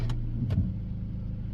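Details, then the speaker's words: 2002 Dodge Neon, warm, after fitting its throttle body with 2002 automatic idle air control valve parts: quiet low idle that sags and lugs down too much when put in gear; runs better than before. "But when you put it in gear, it kind of tries to idle down a little bit too much."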